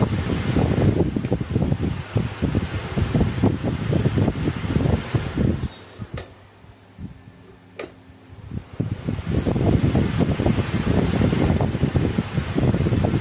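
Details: Table fan that would not spin, after replacing the old capacitor with a new 2.5 one and rejoining a broken wire: steady soft whir with an even airy rush, briefly quieter then back up to speed; the fan now runs normally.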